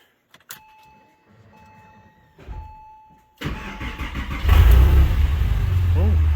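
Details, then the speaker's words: Porsche 996 started after UAOS install with alternator refitted and changeover valve lead modified: a quick crank catches almost at once and settles into a steady, even idle with no stumble; healthy start, job complete. "Oh, started right up. All back together. Okay, job's complete. Car started right up."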